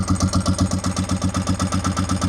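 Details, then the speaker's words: Motorcycle engine after oil, brake and clutch fluid change, cold and warming up: slow slightly uneven single-cylinder thumping at about 1,000 rpm with throttle held, won't idle on its own yet; owner hopes it idles once warm. "I'm holding the throttle currently because it seems like it needs a little bit of gas to stay running."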